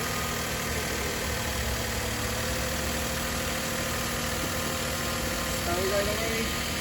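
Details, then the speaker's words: 2014 Hyundai Santa Fe that cranked but would not start, fixed via a relay built into the EMS box: starts and runs at a quiet, even idle with no stumble or misses; running normally after repair. "okay started it's running now so I switch it off and I'll put everything back together"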